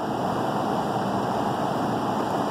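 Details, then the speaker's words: Lennox upstairs heat pump, blower drawing 1.4 A: smooth even air rush with no rubbing or rattle; blower motor runs healthy, failed ice cube relay to be replaced. "So we know that this blower is working and everything is gonna be just fine if we swap that relay out."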